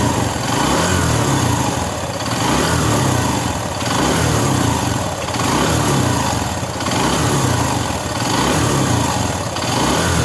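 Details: Single-cylinder motorcycle engine after engine work including a camshaft replacement. Steady beat with a gentle rise and fall and a faint light tick; not yet run in, expected to settle after about 500 km. Normal running.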